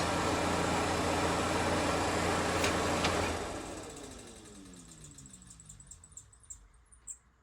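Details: Bus factory rear air conditioner fan motor, reinstalled after greasing the shaft ends, first test run: steady smooth fan whirr, no dry squeal or rubbing, winding down evenly after switch-off; healthy blower fan.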